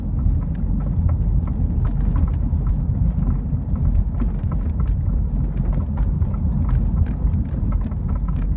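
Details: BMW E36 while driving over bumps: loose, irregular knocking and rattling from rear compartment like a bouncing wrench, heavy road rumble underneath; caused by a worn rear shock mount.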